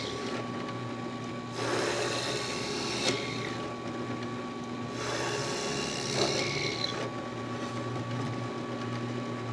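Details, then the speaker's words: Ryobi 10" tabletop drill press, 1/4 HP induction motor, five speeds (620-3100), boring holes in wood on a solid work surface: even motor hum with steady cutting bursts, no stand rattle or chatter; sounds better than on thin plywood, normal operation. "can definitely tell how much better that sounds on a solid work surface compared to a piece of thin plywood."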